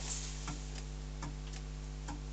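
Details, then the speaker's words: Wood lathe at about 215–216 rpm with a large wobbling hollow-form blank: light clicks about once a second over motor hum as one section catches on the banjo; minor, will be turned away. "That clicking. Because it's just a little section of here that's just catching on the banjo."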